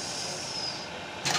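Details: Brother 814-2 buttonhole sewing machine after replacing the V-belt and adjusting a previously harsh noise; smooth even high-pitched whir, no knocking or rough rumble: running normally.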